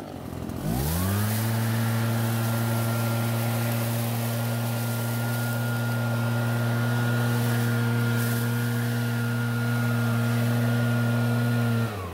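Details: Nearly new Redmax EBZ8500 backpack blower that kept flooding and wouldn't start; after drying out and starting unchoked for the first pulls, it catches cleanly, revs and holds a steady even note with no misfire, running fine.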